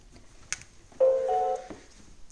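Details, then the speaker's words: New Xiaomi Xiaowa (Roborock) robot vacuum on its charging dock: short two-note electronic chime repeating, robot does nothing else and does not charge, no Wi-Fi light; owner suspects it arrived defective. "não faz mais nada como vocês podem ver ficou só repetir essa mensagem de entrada em cortando a repetirem cortando e não pegando caga né"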